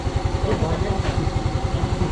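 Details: Yamaha Mio M3 single-cylinder scooter that had lost compression and would not start because the spark plug core had pulled out, leaking air. After the repair it idles with a quick, even low putter, no misses or knocks; healthy.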